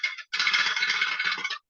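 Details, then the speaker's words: Pressure canner with weight on the pressure spout: fast, loud metallic chatter from the weight that never settles into a gentle rocking, stove heat set too high; turn down to a gentle rattle, which still holds pressure. "your processing time is going to start when this starts to Rattle you'll start to hear it Rattle and if you depending on how high you have your stove top turned it might start to get like"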